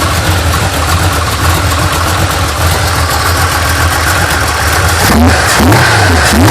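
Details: 1980 GMC Sierra C15 with junkyard L31 Vortec 350 (9.5:1), Summit K1107 .488/.510 lift cam, Performer RPM intake, 600 Holley, Flowtech headers, Thrush mufflers; cold start, uneven loping idle surging and stumbling, sharp throttle blips near end, mic clipping; lumpy idle from high-lift cam.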